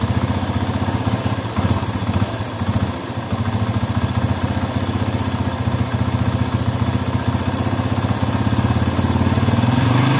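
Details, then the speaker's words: Yamaha Bison after the air screw is turned fully in: uneven, lumpy beat with occasional pops and stumbles as revs rise and fall; still misfiring and popping, likely a carburetor mixture setting problem. "dalam masih saja agak nembak-nembak"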